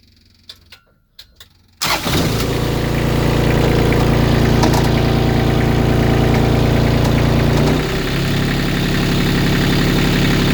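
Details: Kubota D1105 diesel, about 300 hours, in a sailboat, once overheated from coolant loss, now on old tank diesel: steady knock at idle, three or four a second, gone when revs rise; owner suspects rod knock.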